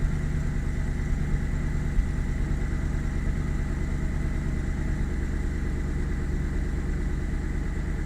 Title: BMW 735i E65 cold start misfiring